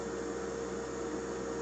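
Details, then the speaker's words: Hummer H2 fuel pump assembly running on the bench in water: steady mid-pitched electric whine over an even hiss of circulating fluid, no surging or rattles. The Venturi refills the reservoir; the pump runs normally. "then the Venturi is feeding fluid back into the reservoir filling it up and it's just nicely recycling"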